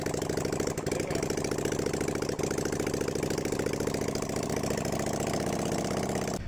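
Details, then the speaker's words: 1990s Yamaha Virago 535 V-twin bought as a non-starter, tested on battery: it fires instantly and settles into a loud, even, steady beat; the open exhaust note is from exhaust work in progress. Normal start and idle. "comme tu as pu le voir c'est reparti au quart de tour donc a fait un brin de bruit mais c'est tout simplement ce qui a pu d'échappement"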